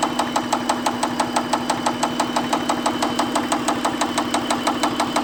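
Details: 2001 Acura at idle: steady light crisp tick about three per second over a smooth idle; top-end ticking, cause not pinned down.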